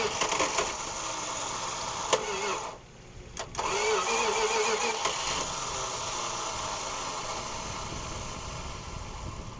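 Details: 1969 Plymouth Fury III, 318 V8, automatic, off the road over ten years, points found bad and mud under the distributor cap; catches and runs roughly, cuts out, catches again and stumbles, won't hold idle.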